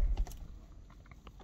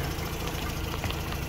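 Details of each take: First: 2006 Mazda RX-8 rotary with a newly fitted uprated starter and a hot-start problem blamed on suspected low compression from failing apex seals: on a hot start the starter bites and the engine fires straight into a steady low idle, so it is normal. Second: 2006 Mazda RX-8 rotary with hot-start trouble, owner suspects low compression from failing apex seals, new starter fitted: warm lumpy, uneven idle during Picoscope coil tests; the coils all look similar, so any misfire is not ignition-caused.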